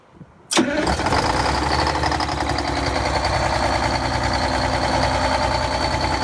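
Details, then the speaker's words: Cold start of a bus engine: starter whirs, engine catches into a lumpy, uneven loping idle with smoke, not yet firing on all cylinders; owner waits for the shaking and smoke to settle once all cylinders fire. Cold start misfire. "so look for this to stop flapping around and the and the smoke to lessen away and you'll you'll hear it it'll do this like o'clock o'clock o'clock or whatever"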